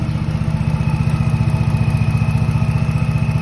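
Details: 2007 Dodge Charger SXT 3.5L that died from running out of gas, now running after 4 gallons added, owner had replaced fuel pump and battery: steady even idle, smooth rumble, regular firing, no misses or knocks; normal idle.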